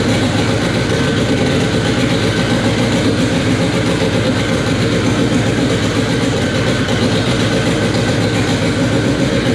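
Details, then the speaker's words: K24 engine in an all-wheel-drive Integra, first start on a FuelTech FT600 ECU after two days of settings: loud, steady idle with dense, even low rumble, no knocks or ticks; normal idle, still needs fuel tuning. "all right guys well there you have it it officially runs on fuel tech after what seemed to be like two days of just settings and doing weird things to get it to run but uh yeah that was awesome sounds good"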